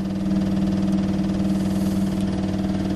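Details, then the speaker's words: Electric fuel pump priming on a car being filled with petrol and coolant before start: steady rapid ticking about four per second over low hum, not stopping at pressure; no leaks seen, owner wonders if it's overcoming the float and flooding. "I thought that uh fuel pumps stopped ticking when they've uh when they've got up the pressure"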